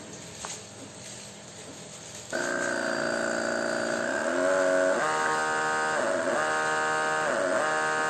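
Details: Dual-motor P3M version 3 electric sprayer pump, switched to battery power on the upper connector. Quiet room, then the pump kicks in with a steady buzzing hum that dips and recovers rhythmically as pressure cycles. Normal pump operation.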